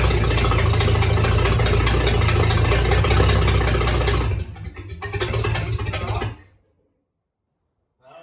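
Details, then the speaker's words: 1953 Dodge 228 ci flathead bored to 237 ci, first start after rebuild, no exhaust hooked up, battery not fully charged: even, steady unmuffled idle with no knocks or misses, then dips and shuts off; normal idle. "First time it's ran, and it even idles. Yeah, it even idles. And the battery's not even fully charged."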